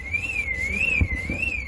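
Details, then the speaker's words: 2001 Mercedes-Benz S430 with a dead battery (battery in the locked trunk), jump-connected from inside the car: on connecting the negative, a high wavering siren rises and falls about every 0.6 s; the car alarm triggered on battery reconnection. "Negative there. And the car is screaming."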